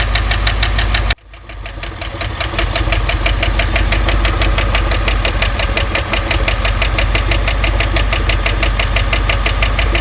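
After the restart a rapid, uneven tapping, roughly three per second, sits over the idle, pointing to a noisy lifter or top end. Cause suspected, not confirmed.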